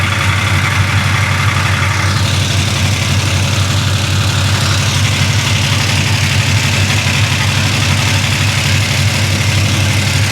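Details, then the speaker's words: Big-block Chevy 427 in a 1966 Impala, not run since poor drive, before valve adjustment: loud rough V8 idle with busy uneven top-end clatter; little oil reaching the rockers, valvetrain clatter from oil starvation. "So where's the oil? I mean, I see it in the, it's coming. Yeah, it's coming through. But not much."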